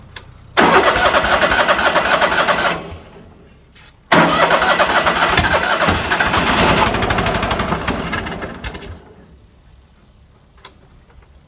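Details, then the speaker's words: Old Ford tractor after carburetor cleaner squirted in: two long cranking bursts at about 220 beats a minute, never fires; owner suspects it is not pulling fuel. "Well, maybe it didn't work. Still acts like it's not pulling no fuel."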